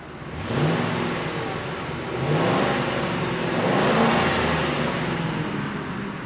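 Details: 1999 Ford F-150 or 2007 Chevy Impala LT, revved after start: engine climbs smoothly through two or three blips and drops back cleanly, no misses or knocks; healthy revving.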